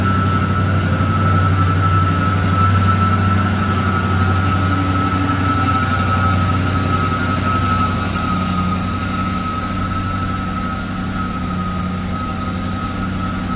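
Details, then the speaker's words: 1966 AMC Marlin 327 V8, restored after 8 years stored, cold start after pumping gas: steady loud high whine over smooth idle, a clutch spinning when it shouldn't; fades as the car warms. "Right away you can hear that clutch. Not supposed to be spinning. We'll fix that. Oh! Loud."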